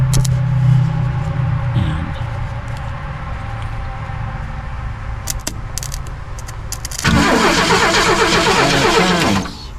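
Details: 1972 Ford Mustang, fuel pump hot-wired with alligator clips and coil jumped to positive: starter cranks steadily about four beats a second, engine catches, roars briefly for two seconds and dies. Cause not confirmed.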